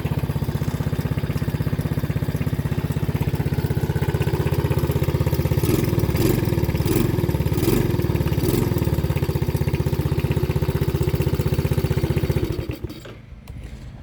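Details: 125cc four-stroke quad after repair: small single-cylinder catches and settles into a steady, even idle with a brief throttle blip, then shuts off; normal running.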